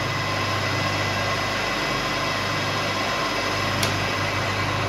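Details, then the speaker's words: MRSh-3 three-phase rail grinder, delta-connected, switched on and fed three phases from a capacitor-started motor acting as converter on single-phase 220 V; spins up with an even hum and steady whirr, running smoothly. "Все, включаем машинку. Пожалуйста, все работает."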